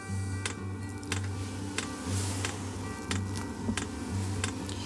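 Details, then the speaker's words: Kroak diesel camper-van heater during first start: fuel pump gives sharp light ticks about one and a half a second over background music while it fills the empty fuel lines. Normal fuel pump priming. "donc il faut que la pompe remplisse tous les tuyaux voilà vous entendez la pompe vient se mettre vient de se mettre en route"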